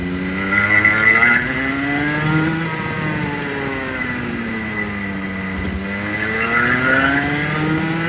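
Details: Clutched go-kart engine on-track run-in, accelerating to 10,000 RPM then backing off to 6,000: tone climbs and falls cleanly, no misfire; healthy run-in.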